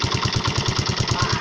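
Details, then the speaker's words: Motorcycle engine at idle with a quick, even knock about eight times a second; abnormal noise of unknown cause, mechanic asking what it could be. "Kira-kira apa penyebabnya? Kita minta sarannya. Motor Pega Air New. Kira-kira apa ya ini suaranya yang bermasalah?"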